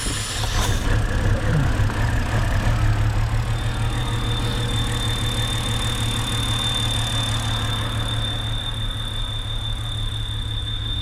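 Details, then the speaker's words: 2007 BMW X3 N52 3.0 six-cylinder, customer complaint of stalling, rough running and squeal at idle: uneven lumpy idle with thin high whistle; rear main seal sucking air into the crankcase, changing with oil filler cap off, causing rough idle. "that's the rear main seal screaming because it's basically sucking itself in and it's the air passing through from atmosphere into the crankcase through the seal and it makes that whistling noise and obviously we're gonna run rough"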